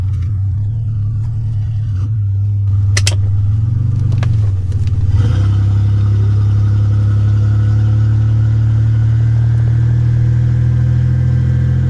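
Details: 1985 Nissan 300ZX Turbo (Z31), formerly misfiring under boost, after new plugs and wires and a ripped charge-pipe hose replaced, on a drive: deep, loud exhaust drone climbing smoothly as it pulls hard, no stumble, building boost and running clean.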